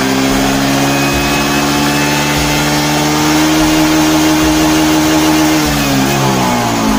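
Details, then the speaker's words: Honda Beat FI scooter with sluggish, powerless acceleration, cleaned but not yet disassembled: throttle snapped, revs barely lift, hang flat then sag; bogging traced to faulty throttle position sensor connection. "Nah kalau kita gasnya kita gas spontan langsung kumat dia ya"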